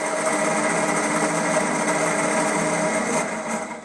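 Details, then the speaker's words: Toro 6.75HP GTS Recycler 22 Personal Pace mower, key start after half-hour battery charge: high steady electric whir with no cranking, then winds down; starter spins but stripped plastic drive gear won't engage flywheel teeth. "you know what that is that's the starter motor working however the plastic gear cog is stripped so therefore the motor is running however the plastic gear isn't grasping onto the flywheel teeth and it's not spinning the flywheel"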